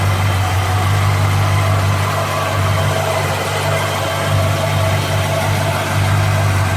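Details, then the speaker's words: 1957 Chevy convertible V8, over 250,000 miles, after exhaust manifold leak repair: steady, deep, even idle with the former clack-clack in the exhaust gone; leak appears sealed. "I think it's sealed up [Music] because even at idle before you hear that clack clack clack in the exhaust"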